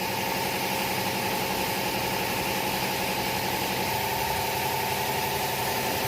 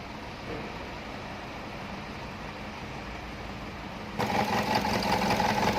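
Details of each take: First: 2011 Chevrolet Captiva 2.4L petrol after replacing the faulty cylinder 4 injector (code P0300 misfire, shaking) and a test drive: engine idles smoothly and evenly, no misfire shake or knock; normal idle. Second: 2011 Chevrolet Captiva 2.4 L petrol idling with uneven, loping shake, code P0300, cylinder 2 suspected of misfiring; injector swapped to cylinder 4 to test, cause a faulty injector, fixed by replacing it.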